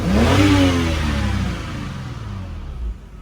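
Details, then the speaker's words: BMW 128i after fixing vacuum leak from loose intake manifold bolts: quick throttle blip drops back to a smooth, steady idle with no stumble or shake; normal idle, no rough idle. "no rough No rough idle, nothing. No rough idle, nothing."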